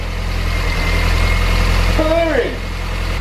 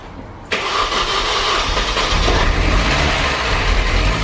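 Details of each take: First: Mini R53 Cooper S, first start after a home engine rebuild: rattly at first, believed just the timing chain flopping before tension came up, then a steady even low idle with no chain rattle, brief chirp partway; engine management light on, cause unknown; normal idle. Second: Rebuilt Mini R53 Cooper S engine first start: brief metallic rattle for a couple of seconds fading into idle, suspected chain flopping until tensioned; engine management light on.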